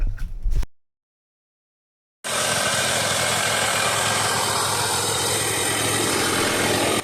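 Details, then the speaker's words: Budget $500 adventure motorcycle, two-stroke, after unclogging the packed muffler and patching the expansion chamber: after a short pause it picks up and holds a steady, even buzzing beat with no misses or pops. Normal running. "We quickly discovered why my bike wasn't running that great, so after unclogging the exhaust and patching up the expansion chamber, we tried to start it up again and had some better results."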